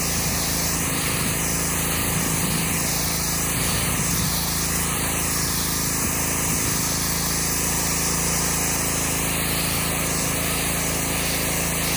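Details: Subaru EA190V pressure washer with cheap replacement carburetor, on possibly bad old gas (needed starter fluid to start): small engine holds a steady drone under the hiss of water spraying concrete, no misses or surging; running normally under load.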